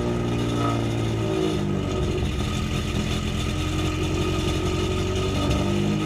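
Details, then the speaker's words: Car with a newly installed eBay full straight-pipe exhaust, cold start heard from the rear: revs up and drops back with a harsh, raspy open-pipe bark. Owner thinks the timing is bad. "for eBay exhaust it sounds cool but it's full straight pipe and it sounds so raspy since it's an eBay exhaust"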